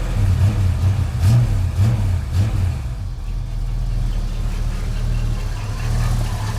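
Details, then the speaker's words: 1989 Chevrolet S10 V8 pickup with 2.5-inch exhaust through two mufflers, likely bad old fuel: light throttle blips then low, soft, even burble at about 600 rpm; quiet, running slightly rich, normal idle. "She's pretty quiet. It's actually 2.5-inch exhaust run all the way out the back through 2 mufflers. She's running a little bit fat."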